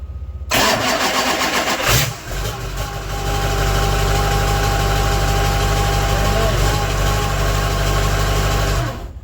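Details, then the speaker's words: LB7 Duramax diesel on the bench during an 88-98 Chevy NV4500 swap, jumper-started on a stand-alone harness after a bad starter connection: brief crank, quick catch, steady quiet idle with no knocks; no oil pressure gauge, owner assumes good pressure. "So I don't have an oil pressure gauge or anything hooked up. The thing's really quiet, so I'm guessing that, you know, it's got good oil pressure."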